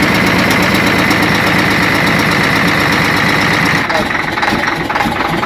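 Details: Hino Euro diesel truck engine idling with an uneven, lumpy beat of about three to four pulses a second; misfire with smoke, cause unconfirmed.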